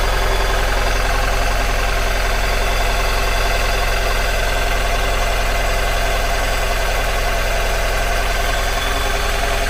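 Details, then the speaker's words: 2002 Mazda MX-5 Miata NB 1.8 idling with front coil reconnected, no change: lumpy, heavily shaking idle, regular chuff three to four per second, running on two cylinders; front coil at 100°, energized constantly. "plug that coil back in and as you can hear doesn't make any difference whatsoever"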